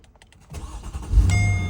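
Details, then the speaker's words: 2009 Mercedes SL550 R230 that wouldn't crank on the key fob, after replacing an 80 amp fuse: key start, brief crank, catches cleanly within a second into a smooth, steady idle; healthy start after repair. "There it is. Back up and running again."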